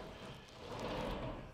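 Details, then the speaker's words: Pocket door after burnishing wax paper onto the bottom plastic guide and waxing the door's bottom edge to cure the bottom rub squeak: soft, even sliding rush with no squeak or rubbing tone. "for good measure we'll also drop a little bit of wax on the bottom of the door now that's going to solve the bottom rub"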